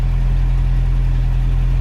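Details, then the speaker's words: Toyota pickup 22RE idling after a homemade no-weld exhaust with universal catalytic converter and flex pipe: low steady idle, even deep hum, no ticking, puffing or rasp; quiet healthy idle, though code 27 is read afterwards. "go ahead and start it for you so you can hear that it's nice and quiet."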